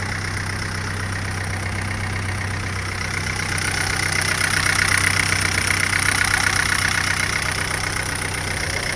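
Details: Chevrolet Astra 1.8 after coolant refill, warming up for thermostat to open: even, steady idle with smooth low hum and no knock; normal idle.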